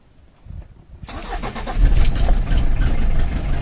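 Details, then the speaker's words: Diesel with heavily discharged battery (7 V) started using a fully charged Profiline jump booster, raising voltage to about 13.5 V: a brief crank, then it catches at once and settles into a steady clatter. "є дизель запустився"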